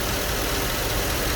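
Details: 2008 GMC Yukon 5.3 V8 after repair of an injector circuit fault, injector pulse restored; short stretch of even, steady idle rumble with no misses or stumbles, smooth and healthy.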